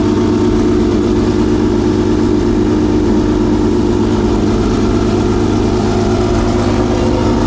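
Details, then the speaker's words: Homemade V12 race engine in a race car, first firing after months of storage; loud steady drone with an uneven, lumpy pulse instead of a crisp beat, "something doesn't sound right," had trouble starting; rough running, cause unclear. "I don't know what is this tired don't something doesn't sound right it smell right"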